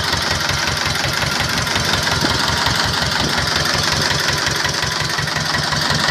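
Steady, even diesel clatter at a settled idle, about three beats a second, no misses or knocks; sounds healthy.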